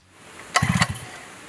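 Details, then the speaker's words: Cold WICK 375 two-stroke pump engine with choke closed after priming, hand pull-start: a few quick pull-cord strokes, then one short pop as it fires once; that first ignition is the cue to open the choke. "opening the choke after the first ignition is a critical step in order to prevent flooding listen carefully for the first ignition as we hear"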